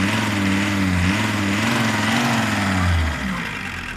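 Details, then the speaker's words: T4 engine's first start after repair, ignition timing set, system bled: revs rise cleanly under throttle and settle back to an even, steady beat with no misses; running well. "Все четко. Зажигание выставили, все выставили, работает красиво."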